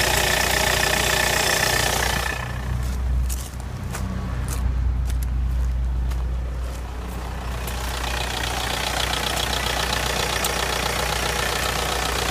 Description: MY VW Polo 6n2 SDI 2001 with a strange ticking noise